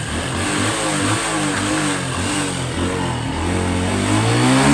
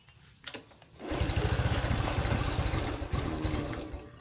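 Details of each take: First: Honda Wave 110i LED (c.2019) after replacing burnt, shorted spark plug cap: small single revs and settles cleanly several times, pitch rising and falling smoothly, no misfire or stumble. Previous intermittent start and throttle stall fixed; normal revving. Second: Honda Wave 110i LED (likely 2019) with an aftermarket digital dash, starting only intermittently and unrideable: engine catches and runs lumpy and uneven on throttle, fading as if about to stall; cause not yet found.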